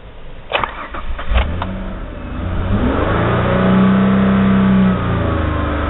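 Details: 2001 Ford Escape V6, warm; after a few clicks it starts, is revved to 3000-4000 RPM, sputtering, then sags when throttle is released and will not idle (around 200 RPM); faulty idle air control valve.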